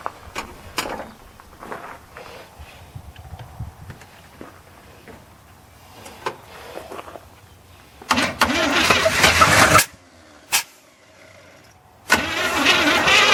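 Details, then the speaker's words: 1981 GM square body truck after 25 years in a field, new ignition module and spark plug wires: quiet cranking, then fires in rough bursts, cuts out and catches again, running once given extra fuel. "I won't lie, I did try turning it over to see if there was going to be anything, and it fired right off. I can't believe it."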